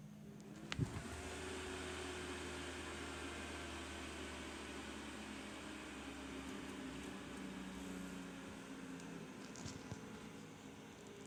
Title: My PC, but CPU fan is noisy after it's been restarted again.